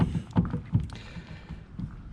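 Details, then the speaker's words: 1999 Chevy Silverado 1500 Z71 with NP246 transfer case: dull metallic clunks as the rear drive shaft is rocked by hand reveal a loose, worn U-joint, blamed for breaking the transfer case adapter on the transmission extension housing. "So this is what's actually caused my transfer case adapter to break. You can hear that very specifically. This one is the problem child for me causing all of all the issues for my transfer case."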